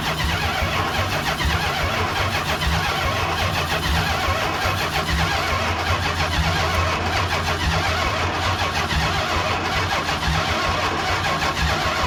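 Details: 1969 Chrysler 300 V8, neglected car's first start after revival: long churning crank before it catches into a rough rumble; slow to fire, seemingly fuel-starved.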